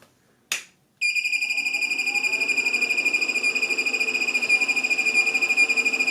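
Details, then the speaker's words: LaCie Biggest FW800 drive enclosure with a Seagate 250 GB drive, bought as working: at switch-on there is a click, then a shrill beep pulsing about twice a second while the screen flashes; alarming at power-on, cause unknown. "um that does not seem right not sure if you can see but the screen is just flashing on so i'm going to try turning it on again now just to see if anything else changes"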